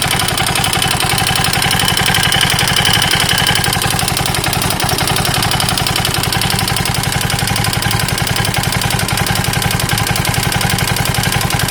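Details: KTM 640 LC4 big single at steady idle with sharp, regular tapping over every firing pulse; engine knock, owner unsure whether top end or bottom end.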